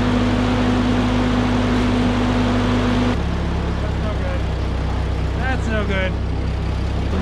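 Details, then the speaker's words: 1946 Ford 2N tractor, flathead four, after a blown or warped head gasket was replaced and the engine cleaned inside. Steady, even low idle with no misses or knocks, purring after steam burned off; normal idle. "it's been purring like a kitten for a little while and I've got it back together"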